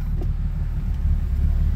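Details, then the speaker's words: 2004.5 Ram 3500 diesel after heating cycle, exhaust brake on, slow to start with blue smoke at crank; idle swells and sags unevenly; owner suspects crankshaft position sensor harness after repeated sensor codes; rough idle. "You can really hear it with the exhaust brake on. A little bit of blue smoke when I cranked it too."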